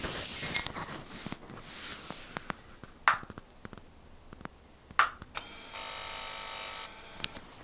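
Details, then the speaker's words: Motorcycle at key-on, microphone close, after the touchy kill switch was given a tiny squirt of WD-40: scattered clicks then a steady one-second electric buzz as the fuel injection pump primes normally; owner hopes problem cured. "And you can hear clearly the fuel injection starts to work. So hopefully I've cured the problem without having to do anything to the bike other than give it a tiny little squirt of WD-40."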